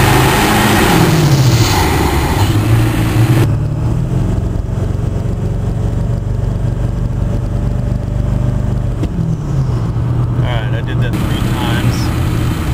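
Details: Warmed-up 2001 Ford 7.3L Powerstroke, mic near the air cleaner: hard revving, then a rising-falling squawk on throttle lift, judged turbo surge by consensus; a separate hiss came from a leak between the compressor housing and the X-pipe, fixed later.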